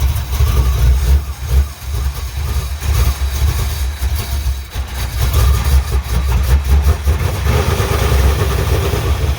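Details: 1985 Chevy C10, stock short-block 350 with ZZ4 heads and cam, 700R4, freshly fitted used Quick Fuel SS 680 vacuum-secondary carb, unadjusted, no choke: lumpy, surging idle; crisper throttle than the Holley 750, still has debris inside.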